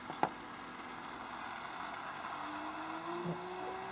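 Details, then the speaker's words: DIY EV conversion electric coolant pump, PWM control signal unplugged so it runs at full speed; quiet hiss then a clean tone climbing smoothly from low to higher pitch as the pump spins up; pumping coolant normally. "and the coolant pump goes up to full speed."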